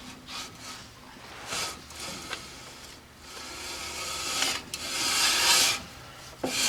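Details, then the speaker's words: 1970 Ford Mustang after front disc brake conversion and new rear shoes and wheel cylinders: irregular raspy scraping swishes about once a second, engine off; sounds like brake rubbing, though no rubbing point was found. "that kind of sounds like it's rubbing but I don't see no place where nothing's rubbing does that make sense"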